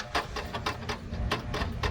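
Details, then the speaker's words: Long-abandoned 1992 Pontiac Firebird, headlights working: sharp uneven clicks roughly every half second over a low hum as the headlight motors cycle; abnormal headlight motor clicking, cause unknown. "Just headlights. Why do they do that? They do work. They just click really weird."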